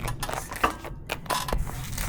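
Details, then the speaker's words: Motobécane moped two-stroke warming up after revival: uneven, loose metallic clacks ride over a light idle; the bearing-type variator clatters at tickover, a common and harmless trait on these mopeds. "ce vous entendez claquer c'est toujours le variateur ER3 Dole qui claque quand même pas mal au ralenti ça c'est un petit peu la maladie sur motomécane avec système de roulement mais bon c'est pas très grave"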